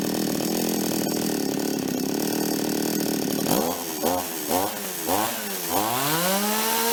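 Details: Toyama TCS46H chainsaw after carb cleaning and idle-screw adjustment (L needle 1¼ turns, needles untouched): strong steady buzz then quick clean rev blips with no bogging; previously died on acceleration, now running healthy.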